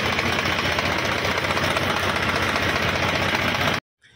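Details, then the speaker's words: HMT 3522 tractor diesel, warm, after about an hour's run following service: loud, steady idle clatter with an even, rapid beat and no misses or stumbles; engine ready and healthy. "Perfectly tractor ready हो गया है और इसका firing वगैरह कैसा है दोस्तों तो मेरे को कमेंट में जरूर बताए"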